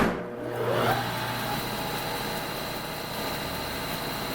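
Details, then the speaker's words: Refurbished Hobart 5801 meat and bone band saw with a new blade, three-phase, run through a phase converter: after switch-on, an even, steady motor hum and smooth high whir with no knocks or rubbing; normal running. "you're going to hear that humming in a minute I'm going to turn it on to show you how smoothly the saw runs"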